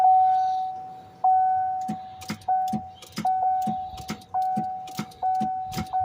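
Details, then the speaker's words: 2015 Tahoe no-crank: over the chime, each key turn gives only a dull single clunk and the engine never turns over. Fixed by replacing the discolored starter relay in the underhood fuse panel. "this is what you get just a clunk"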